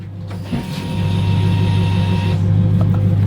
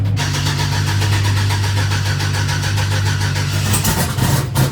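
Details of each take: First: Turbo Chevrolet Silverado with new 1500cc injectors and new performance fuel pump, key on: steady electric whine about two seconds over a low hum then cuts off; fuel pump priming normally. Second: Turbo Chevrolet Silverado just after installing new 1500cc injectors and performance fuel pump: fires and holds steady idle, then stumbles into uneven surging bursts, smoking heavily with good oil pressure; rough running, owners suspect it needs a tune after the injectors.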